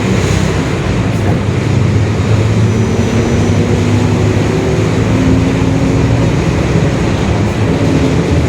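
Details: 2021 Marcopolo Torino S urban bus on Mercedes-Benz OF-1721 Bluetec 5 chassis, extended, driving: steady diesel drone with a low, even growling hum from the rear axle throughout. Differential whine, worn growling differential.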